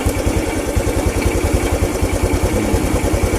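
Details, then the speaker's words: Honda Revo single-cylinder motorcycle with normal charging system: steady, even low idle thumps, no stumbling or cutting out; a healthy bike keeps running even without battery and with connector unplugged, charging output confirmed. "kalau motor normal meskipun tanpa Ati kolektor dan lepas dia itu masih bisa nyala"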